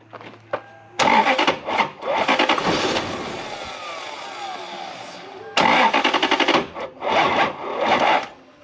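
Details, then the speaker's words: Lexus LS400 UCF20, 1UZ-FE V8, with a white-plug ECU fitted to a grey-plug car: starter spins the engine in steady, even bursts but it never fires; crank no start from an incompatible ECU, fixable by swapping pins. "real quick guys plug the white plug ecu into a grey plug car watch this"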